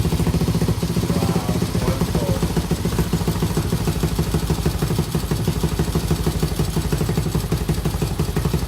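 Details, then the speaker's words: 1987 Honda TRX200SX ATV single-cylinder engine after carb cleaning and fresh fuel, cold weather: even putter holding steady idle, no misses or surging; running clean. "oh just got finished cleaning the carb and now listen to this baby purr"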